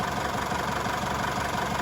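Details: Isuzu D-Max diesel reassembled and running after a crank-no-start repair (intercooler and EGR valve refitted). Steady, even diesel clatter at idle with no misses or surges. Normal diesel idle.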